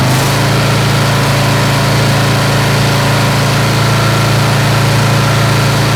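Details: Snapper SR-Series mower with 10HP Briggs & Stratton single-cylinder engine, stored 10 years, after carburetor work and fresh treated fuel: steady, even thump with constant low drone, no misses or surging; running good and waking up.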